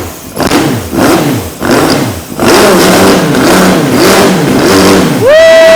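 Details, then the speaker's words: 2003 Honda CBR954RR, sat outside 15 years, rerun after reseating the intake that was not fully on (had caused flames): crisp throttle blips rising and falling freely, holding high revs on a clean steady note, tach rising; normal revving. "The needle for the RPMs was actually going up, too."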